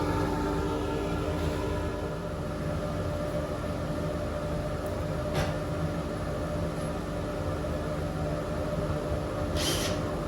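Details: Small rotary engine on a Sigma MC73 go-kart, run with an open pipe and no gearbox: steady, even, loud drone with no knocks or misfires; runs cleanly, though owner finds it hard to start and suspects the carb.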